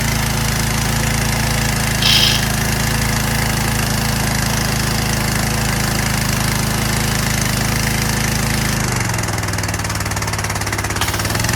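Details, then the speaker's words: Curbside Troy-Bilt/Craftsman pressure washer after carburetor cleaning, water connected, old spray gun fitted; small engine runs steady and even, then settles lower as the pump takes load; running properly. "I connected water to it. I'm gonna start it up for you now. Works."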